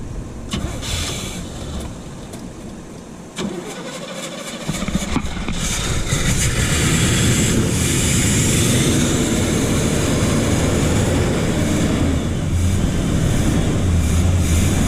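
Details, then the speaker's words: 1979 Chevy C10 factory 454 big block after sitting 5 years, old ethanol fuel: steady cranking about four beats a second, then catches to rough, uneven idle; owner thinks the fuel pump is no good. "I think our fuel pump is no good"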